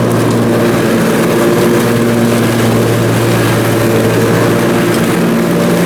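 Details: Briggs & Stratton Intek M44 twin engine after a full twin-carburetor tear-down and clean, under mowing load: smooth, constant low drone, no hunting or surging, holds speed evenly. Normal running after repair.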